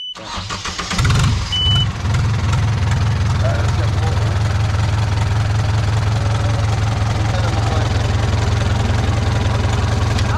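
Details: Boat engine after a starter motor that would not engage and an earlier smoky start that may have damaged the alternator: cranks, catches within about a second, then settles into a steady, even low idle; starts and runs fine.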